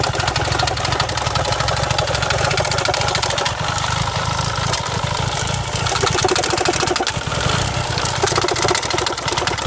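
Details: Renault Clio 172 Cup at idle: a loud, lumpy idle with a fast, uneven clatter and stumbling beats, pointing to a misfire plus a rattle.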